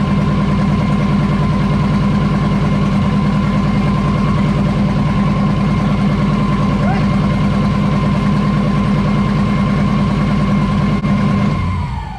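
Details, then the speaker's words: Turbo LS V8 swapped into a VW Beetle, first start after install: steady idle with a slightly uneven loping beat of about two pulses a second, then shutoff; owner suspects a misfire, not confirmed. "It sounds a little funky. Sounds like it might have a miss."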